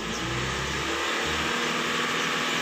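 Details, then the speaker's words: 2008 Honda HR-V with fault code P1659 (ECTS control relay). The throttle is pressed fully, but revs rise briefly and then hang flat at 2,500 rpm while the D lamp blinks. The rpm limit is caused by a faulty ECTS control relay. "untuk rpm nya hanya sampai di 2.500 Nah untuk lampu dianya juga ngedip Nah di sini kita cek temen-temen ya Jadi untuk bagian gasnya kita tekan full tapi rpm nya tidak mau naik"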